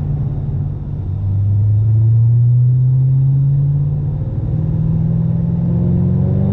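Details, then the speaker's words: Deep engine drone rising smoothly with no stumble during another pull in a supercharged 2010 Mustang GT500 after low-boost repairs; boost up from 5–6 before, and high humidity is suspected of limiting it slightly. "I don't know if the problem is solved completely, but we're definitely seeing more boost. That's a good thing. Last time it was 5, maybe 6 on the gauge."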